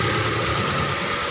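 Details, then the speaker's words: Hyundai Trajet that broke down on the road, after fuel pump replacement and refuelling. It starts and settles into a steady, even idle with no misses or knocks. Normal idle after repair. "alhamdulillah nih sudah hidup sudah hidup alhamdulillah nih"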